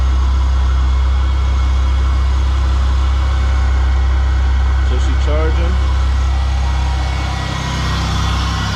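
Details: Buick LS idling just after starting on a battery revived with a Noco Genius 10 maintainer: steady, even idle with smooth low hum, no stumbles or knocks; charging; running normally.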